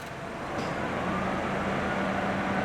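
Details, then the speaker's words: 2009 Honda Civic 1.8 16V idling with AC switched on, after throttle body cleaning and adaptive parameter reset; steady idle hum with faint compressor tone, only a very slight dip as compressor loads engine, no hunting; stable idle with AC. "Ele dá uma leve, muito leve osciladinha, porque o compressor do ar-condicionado aplica uma certa carga no motor quando você dá a partida no ar-condicionado."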